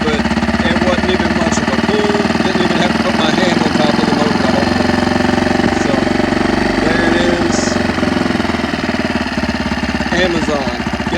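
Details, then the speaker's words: Tohatsu 4hp four-stroke outboard, warm, idling evenly and steadily with no misses or knocks after fixing gas getting into the oil with fresh oil and a replacement part; normal idle. "We're going to do a quick pull real quick and get this thing started so you can hear how it runs again."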